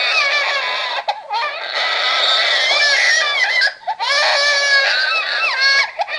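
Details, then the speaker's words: RealCare Baby Think It Over G6 infant simulator doll, loud looping wail with short sobbing breaks, the alarm cry for letting the head drop too far back, also used as its hungry cry, lasting about three to four minutes; head-support violation cry. "okay he will come down after about three or four minutes of crying and he will cry like that every single time that you let his head go too far back"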